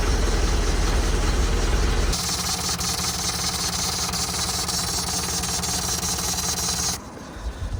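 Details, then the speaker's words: Van diesel idling before its MOT with a thin high-pitched squeal over the clatter, steady at idle; belt, water pump and non-adjustable tensioner are new-ish, so the accessory belt drive is suspected, source not yet found. "So sort of a high-pitched squealing sound indicates to me that it's something to do with the belt."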